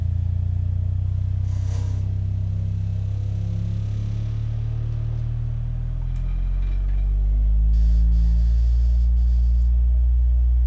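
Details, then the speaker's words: Miller & Kreisel V-2B subwoofer after replacing defective main filter capacitors in the power supply that caused distorted audio and low hum: deep steady 30 Hz tone, smooth with no buzz or crackle; clean output. "let's go ahead and put some actual audio into it now and see what it sounds like well there it is certainly shaking everything anyhow there it is all repaired just needed a couple capacitors replaced and in the power supply the thing sounds excellent"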